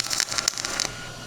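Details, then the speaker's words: Millermatic 211 MIG welder with ER70S-6 .030 wire: an uneven, sputtering arc crackle instead of the steady sizzling-bacon sound, meaning the heat is too high or the wire speed too slow; it can melt back into the tip. "The heat is way too hot or the wire speed is not fast enough."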